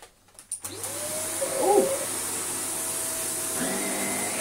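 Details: Shark vacuum from a joblot: the motor spins up smoothly to a steady, even hum with a clean tone and no rattles. Running healthy.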